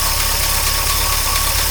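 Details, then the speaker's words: 1953 Oldsmobile Rocket Super 88 barn-find V8, after fixing stalling and hesitation and now running on an electric fuel pump. Smooth, even idle with a steady burble and a very loud exhaust; no knocks or misses, so this is a normal idle. "exhaust is really loud I'm loving the Clyde it down but the engine sounds really really good all things considered"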